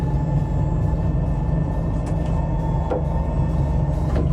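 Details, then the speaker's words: Amel 60 sailing yacht, new replacement furler fitted after survey and sea trial found problems: steady low even motor drone with smooth hum, no knocks or grinding; furler operating normally. "Мол, приезжайте, забирайте, все готово. А такой звук был на новой яхте."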